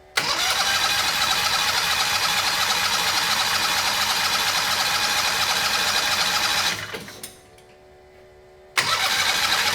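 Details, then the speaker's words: Turbocharged Harbor Freight 670cc V-twin dragster on nitro methanol after gauge, steel sprocket hub and head bolt work: fast even cranking about seven seconds, never fires; cranks but no start, no spark, suspected bad coils, unconfirmed. "so we have tried and tried to get this rail running again and we keep running into the same issue and that's no spark"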